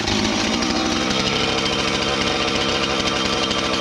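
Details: Husqvarna 450 X-Torq chainsaw that wouldn't run, new chain and bar fitted, started to check and adjust the carb (special adjusting tool bought), cutting wood: high raspy two-stroke scream, steady and strong without surging or bogging; normal running under load.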